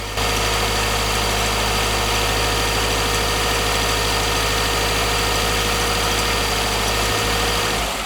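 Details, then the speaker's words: Engine idling in Drive with an irregular rattle, about four ticks a second, that appears when warm at certain rpm. Absent on premium fuel, it returns on the regular fuel, so fuel-related knock is almost confirmed. Still to be rechecked fully hot; carbon deposits also suspected. "ya ese ruido con la gasolina Premium no estaba otra vez ahí está el ruido eh Casi casi confirmado que es la gasolina"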